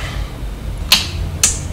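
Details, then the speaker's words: Digmark DGM-651A Bluetooth subwoofer booked in as no power: on plug-in, three sharp clicks about half a second apart over a low hum with no speaker output, switching power supply fault. "You can hear the clicking of the switch, but nothing is working. So that's what we have to fix."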